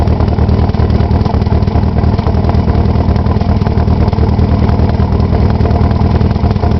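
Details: Nissan SR20DET after sitting 3 months; a lumpy, uneven idle whose low beat drops out irregularly instead of a smooth even pulse. A cylinder misfire of unknown cause.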